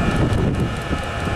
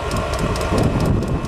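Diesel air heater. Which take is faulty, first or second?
second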